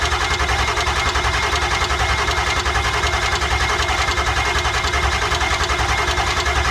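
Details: Ford F250 7.3 Powerstroke diesel after passenger-side injector replacement, cranked on a jump box: steady, even cranking at about two and a half beats a second that never catches, with injection control pressure only reaching about 450. Crank, no start; cranking is thought too slow.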